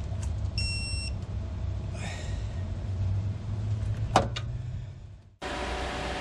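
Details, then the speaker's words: Toyota Starlet GT Turbo EP82 (4E-FTE) idling with the AC on, just after a Ross Performance harmonic damper/crank pulley was installed; belts still to be adjusted. Steady, even low hum with a short beep and a clunk; normal idle. "right so here we have it the Ross performance harmonic damper is finally on car is running I have the AC on so can just basically finish adjusting the belts after checking it out"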